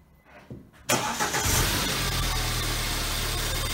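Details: BMW 1 Series E81/E87, first start after replacing hydraulic lifters (rocker arms kept, camshaft refreshed) with fresh oil, before warm-up: starter cranks briefly, engine catches and settles into a steady, even idle with no ticking or knocking. Healthy start.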